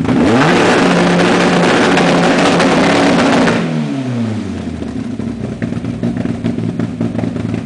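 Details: Renault Clio A-gr on a KTR Gen 90 ECU, launch control test: revs held hard against a stuttering limiter for a few seconds, then drop away smoothly. The launch control rev limiter is working as set.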